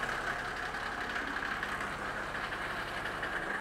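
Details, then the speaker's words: Old non-turbo Mercedes G Wagon, just restarted, holds a steady, very loud idle with a rough hollow drone and no clear knock, then is switched off; the engine is excessively loud, cause not identified. "We basically just, I'm going to have to turn it off because it's unbelievably loud."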